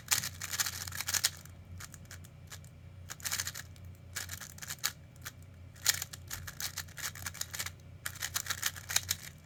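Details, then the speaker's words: Tornado unit: irregular bursts of light sharp clicks over a faint hum; owner suspects loose corner magnets wiggling, likely normal and not affecting performance, not confirmed. "so it's most likely making this noise is this where it Wiggles around a little bit doesn't necessarily mean it's defective some units just have uh those Corner magnets that just wiggle around"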